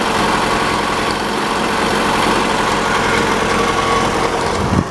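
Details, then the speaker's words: 1985 Chevy Cavalier CS wagon started after sitting a long time as storage, engine due to be pulled: idle has a lumpy uneven beat with occasional stumbles and visible shaking; misfire at idle. "You can hear that misfire. Oh yeah. You can't really see it, but that thing's shaking."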